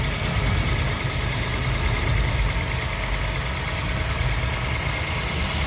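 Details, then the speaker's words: Used car being inspected, engine cold: low, steady hum at constant speed with no hunting, ticking, grinding or other odd noises; a smooth, healthy idle. "tapi karena ini masih sehat Bekasi akan langsam stabil suaranya juga halus tidak ada suara-suara yang aneh seperti ngepic ngeres ataupun suara yang lainnya"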